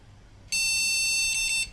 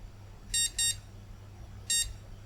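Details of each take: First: Second-hand desktop PC after reseating RAM, at power-on: one shrill beep about a second long, BIOS POST code that no graphics card is detected. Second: Flea-market retro PC motherboard after reseating RAM in another slot: three short high beeps, first two close together, third after about a second; board working and passing startup POST.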